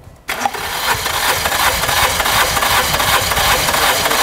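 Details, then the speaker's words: Compression test cranking, cylinder 4 as reference, throttle held wide open: starter spins engine at a steady chug, about 160 beats a minute, even strokes; reads about 13.5 bar, healthy, while another cylinder shows only 4 bar. "vai dar partida para a gente medir a compressão só a nível de comparação a gente vai medir primeiro número 4 vai lá salão"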